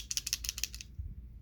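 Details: 58s magazine shaken: six or seven crisp metallic clicks in under a second, then quiet; a loose internal rattle.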